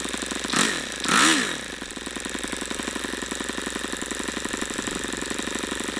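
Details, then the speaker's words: YS FZ63 model engine on first run, OS F plug, 22% nitro 18% oil fuel, Master Airscrew 12x6 or APC 11x8 prop, unknown run history: thin high buzz after two swoops; owner unsure if overheating or not broken in, cause unclear. "see I don't understand that I don't understand if that's a overheating thing I didn't hear it Knocking or what that is maybe it's not broken in I have no idea"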